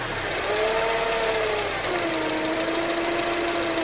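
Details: 2004 Acura TSX automatic, present since at least 138K miles: clear steady high whine over the engine, pitch shifting with speed; no shifting issues or warning lights; cause unknown, commenters suggest torque converter.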